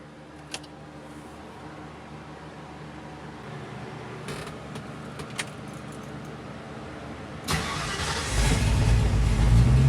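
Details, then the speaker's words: 1966 Mustang with roughly 289/295 cubic inch V8, newly fitted Aces Killshot EFI replacing FiTech, idle set about 800 rpm, untuned; fires smoothly, steady even run, pulls away smoothly on maiden cruise, no misses or knocks. "the car's running great it fired up real smooth it's going down the road smooth"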